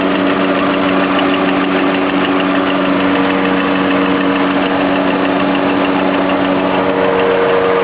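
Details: Lada Priora engine with a light, dull knock at idle, present both cold and hot. It can't be heard at higher revs and doesn't affect speed or acceleration; the cause is unknown.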